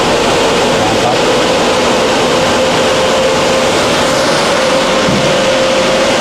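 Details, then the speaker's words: 1300 CFM inline range hood blower at high speed after fixing its imbalance and vibration: loud steady air rush with an even hum, no wobble or thumping; quiet, normal running. "it's really perfect it's very quiet um at high speed hopefully you can hear that in the video and the video picks that up now that it's balanced we just get that nice"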